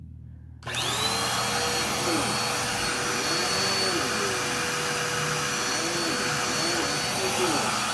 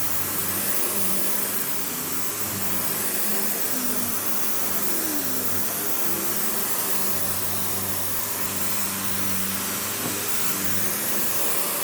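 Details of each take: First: Dirt Devil Power Express basic upright running: steady whine with faint wobbling tone, strained; sounds a little clogged and has an obviously worn-out belt; needs new belt and possibly unclogging or just a filter clean, cause of clogged sound unconfirmed. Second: Panasonic upright, one of the last sold in the US, base plate refitted, bare-floor switch, auto height adjustment, brush roll auto-stops when upright: steady even motor roar, smooth airy hiss, no knocking, rattling or belt squeal; running healthy.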